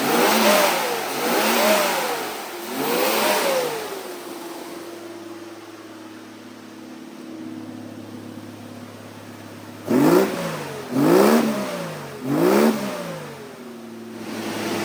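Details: Jeep with freshly built 4.6 stroker (new aftermarket pistons, cam, bearings after cracked piston), during break-in: blips up and settles back to steady, even idle, no knocks or ticks; gauges good, oil pressure stable, healthy.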